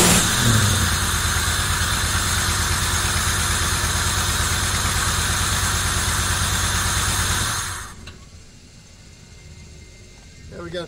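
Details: 1990 Camaro RS, first start after sitting 12–13 years: new fuel pump, sending unit, fuel lines blown out, new plugs, firing-order wire mistake fixed, timing not yet set. Smooth steady idle, no misfire or stumble, then shut off.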